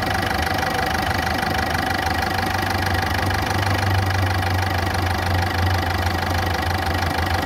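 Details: Ford Fiesta engine at idle: rough, loud running with a fast light tick about three times a second. Ticking and rough idle, cause unknown.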